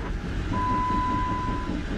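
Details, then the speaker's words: 2010 Jeep Wrangler on jack stands, engine running, in gear with wheels turning: a steady low drone and thin whine from the rear drivetrain, silent out of gear. Differential gears show no metal, no driveshaft play; owner suspects bearings, unconfirmed. "funny that i would use that word train because it sounds like an old train"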